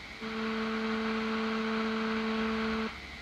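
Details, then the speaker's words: NU-X Cerberus pedal with high gain and distortion on: steady high whine each time the display lights or a parameter changes, then cuts out; display interference, later reduced with a Joyo ZGP. "okay every time the display shows something there you get this noise this interference it's like a whining noise"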